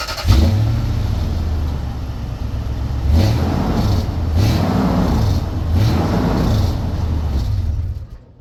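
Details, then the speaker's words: Truck exhaust at tailpipe after temporary muffler patch with old license plate and reattached: deep, smooth rumble rising cleanly with revs and settling back, no rasp or leak. "well that makes a heck of a difference sounds more like it's supposed to with the muffler on"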